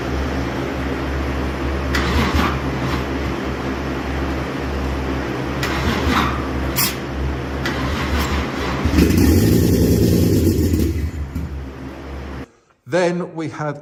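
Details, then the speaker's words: Toyota Chaser 1JZ-GTE swap after fixing no-crank wiring and a non-working fuel pump, starter relay triggered manually; steady low cranking then engine catches with louder surge; cranks and starts normally. "So this should start cuz we got fuel. We got spark."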